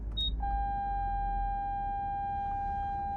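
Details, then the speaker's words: Nissan Armada stopped at a line: parking sensor gives a solid high beep, falsely detecting the painted road line (or dirt) ahead; alert muted by pressing the button. "so see it's dirt it's dirt there I got that turned off"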